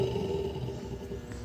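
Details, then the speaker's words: Washing machine: loud steady roar with droning hum from a damaged drive-motor bearing, not the drum bearing; test the motor alone with the belt removed. "Rolamento do motor que tá danificado."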